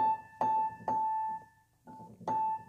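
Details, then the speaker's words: 1975 Yamaha G2 piano, note A after refacing its hammer so it strikes all three strings at once; a clean, bright note rings several times with an even, clear tone and no muddiness between strings. "but it's the tone of them so that note is very clear"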